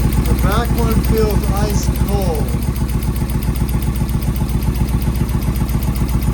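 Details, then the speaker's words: Suzuki VS1400 Intruder V-twin, cold start after carb work and fresh battery, choke on: uneven loping idle about 150 pulses a minute with missing beat; one cylinder not firing, rear carb needle found stuck. "Oh, heck yes. Sounds like one. [Music] Which one is it? Front one's starting to feel a little warm."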